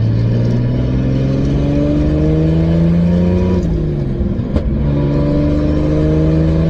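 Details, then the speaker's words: 2003 Nissan 350Z with 2JZ swap, fourth gear around 55 mph after a misfire fix: steady drone under light load, even and smooth with no stumbles or random misses; feels very smooth, owner thinks the problem is fixed; smooth cruise. "thank you it feels very smooth now there's a lot of responses on the way to the shop this morning but I think we fixed the problem"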